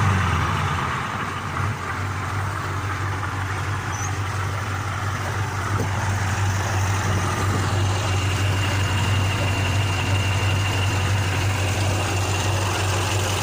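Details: KAMAZ truck diesel with turbocharger idling after repair: steady, even deep idle with faint turbo whistle, no knocks or misses; normal idle.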